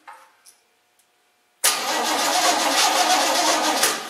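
Quiet at first, then a fast, even crank at about three and a half beats a second, turning over without firing into a run.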